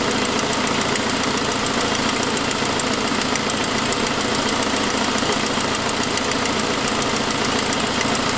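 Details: 2006 Saab 9-5 at idle, after earlier noisier turbo sound: quick sharp ticking three to four times a second over the idle, caused by a broken forwardmost exhaust manifold stud; exhaust manifold leak.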